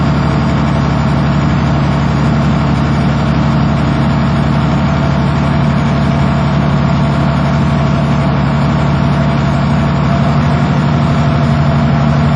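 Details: Diesel school bus idling while the compressor builds air, gauges near 100 psi: deep, even low rumble with no knocks or misses; healthy engine.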